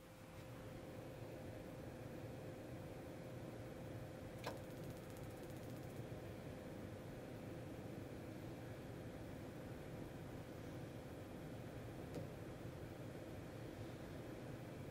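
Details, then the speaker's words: Dometic 12,000 BTU forced-air furnace in a Four Wheel Camper, battery at only 11.96 V: steady blower rush, propane valve clunks open but no spark ticking or ignition; suspected fan running too slowly from low voltage, battery charger next. "nope so you probably could not hear that but what what i heard in here is the propane valve opened just a small little clunking noise but no spark no ignition so the fan's not running fast enough"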